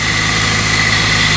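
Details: 2003 Pontiac Vibe GT, 2ZZ-GE engine at 250,000 miles, first start after replacement 6-speed transmission swap: steady idle with a thin constant high whine that doesn't change; owner suspects a pulley bearing going bad.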